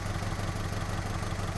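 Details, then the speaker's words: 2002 Honda Civic with cylinder 3 misfire, code P0303, coils swapped between cylinders 2 and 3 and disconnected one at a time: rough lumpy idle with uneven low thump, confirming the faulty ignition coil. "yep so that's a dead giveaway that this ignition coil was bad"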